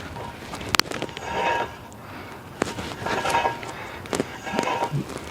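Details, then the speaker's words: 2003 Nissan Quest 3.5 S: recurring gritty scraping with a thin metallic ring every second or two from the rear, caused by a badly worn brake pad. "grinding sounds so i'm pretty sure this is a worn brake pad"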